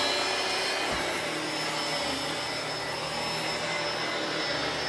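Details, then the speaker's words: Dyson DC17 Animal vacuum, test run with the roller brush switch on after replacing a broken brush bar belt: a steady high whirring rush with no slapping, grinding or flutter. Brush bar spinning normally. "i won't subject you to any more of the noise like that but it seems to be working just fine another job done pretty easy you could do it yourself and save a bunch of money"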